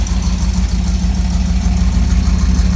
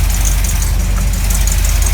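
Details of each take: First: 1983 Camaro Z28 V8 after rewiring plugs and setting timing: deep even lope at idle, about three beats a second, steady with no ticking or knocking; normal idle. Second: 1983 Camaro Z28 at idle after re-timing and redoing the burnt plug wires: deep lumpy V8 idle with a sharp puffing tick on each firing pulse, an exhaust leak still audible.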